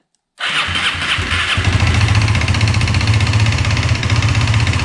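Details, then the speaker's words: Aprilia RS4 125 that dropped a valve, first start after engine work, with a possibly weak battery: cranks briefly, catches at once and settles into a quick, steady idle with oil pressure; owner briefly suspects rod knock but concludes it's probably fine. "Okay, it started. We got oil pressure."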